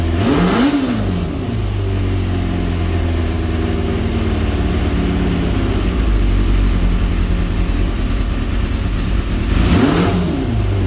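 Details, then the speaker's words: Kawasaki ZX400 four-cylinder after freeing a stuck-closed float in the second carburetor that starved it of fuel: even, steady hum climbing cleanly on two quick throttle blips, no missing beats or stumble; all four cylinders firing. "so hopefully now it will run on all the four cylinders"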